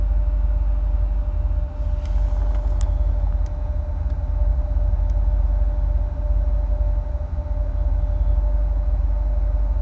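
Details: 2008 Corvette C6, automatic, tuned, with cold air intake, long tube headers and no cats, plugs recently changed: loud steady low idle rumble with constant mid tone and slightly uneven pulsing; rough idle, cause unknown, owner notes rpm dances when fans kick on.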